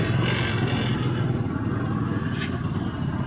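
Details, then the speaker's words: Rouser 135 motorcycle after top overhaul with new cylinder block set, previously noisy, smoky and misfiring; steady even single-cylinder thump with no knocks or rattles, running normally. "Goods na. Paandar na natin. Ayan, okay na yung motor. Umandar na."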